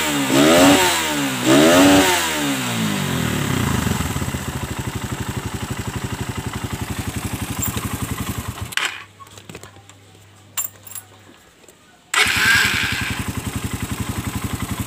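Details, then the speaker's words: Suzuki Satria F with a PE 26 carburetor and a fuel filter just fitted, still on the box air filter: two sharp throttle blips, then a crisp, even single-cylinder idle with no misses; normal revving and idle. "Oke teman-teman sudah mantap suaranya juga oke"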